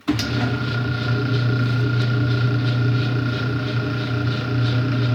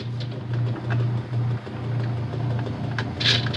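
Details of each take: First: Whirlpool/Kenmore direct-drive washer on suds return, still agitates: loud rough drone with a thin steady whine while the motor drives, cutting out and restarting; motor coupler about to break. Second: Whirlpool-made direct drive washer after motor coupler replacement: steady low motor hum with light scattered ticking, slight grinding from agitator dogs rubbing a gear, no knocking from drive; normal running.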